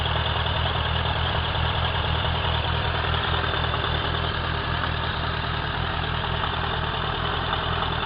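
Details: Suzuki Bandit 1200 K3, 29k on the clock, oil changed a month ago: steady, fast, even knock at warm idle, only when warm, stays with clutch pulled in, inaudible under load when riding; present nearly a year and worsening, no power loss, source unknown.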